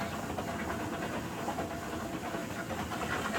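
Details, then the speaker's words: Electric steam boiler at about 6–7 psi with the purge valve opened: continuous rushing hiss with spitting gurgle and knocking as water and pressure push back from the radiators through the return line into a bucket; normal purge. "nd of that knocking in this case is actually a good thing, because what it is doing is it means that water is traveling through the return lines, coming, all the pressure is being pushed back from the radiators."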